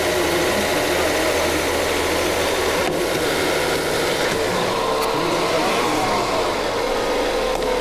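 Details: 2025 Mazda CX with dead battery, right after jump start: even steady engine hum holding at idle with slight rev changes and background noise; runs normally.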